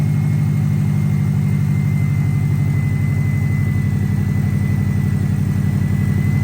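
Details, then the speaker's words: First start after a GT3076R turbo install (T51R mod) with custom intercooler pipes, not yet tuned: a deep, steady, evenly firing idle with a faint constant turbo whistle above it. The engine idles smoothly and healthily. "whistling that sounds insane oh you just heard her running uh we've got speed and state tune I got to put on still I just want to make sure least idled"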